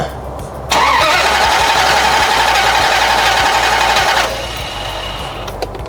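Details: 2001 Dodge Ram 2500 with a swapped NV3500 5-speed manual, bought as a crank-no-start, key on: fast, even cranking chatter for about three and a half seconds, dropping off without catching. Crank, no start; it started on the next try.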